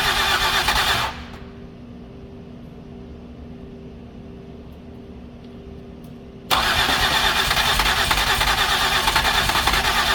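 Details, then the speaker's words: 2008 Ford Escape with previous repairs: engine noise cuts to quiet then bursts back loud over repeated start attempts on a hard starter; too much gas suspected; later runs badly, pressurizing cooling system. "it wants like it wants to yeah okay let me go check my door cuz I think I got somebody up front but I think we can get it to start"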